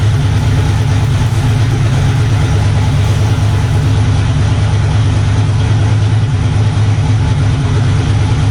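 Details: LS turbo car that previously spat, popped and wouldn't move at the track, running in the garage with no load: deep steady drone, even pace, no pops or stumbles, firing on all cylinders.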